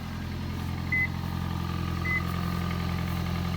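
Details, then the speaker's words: 2005 Toyota Prius, high-mileage and burning some oil, just started and heard from the front: steady, even low hum with two short chimes, no knocks or misses; idling normally. "There's the sound it makes when it's running."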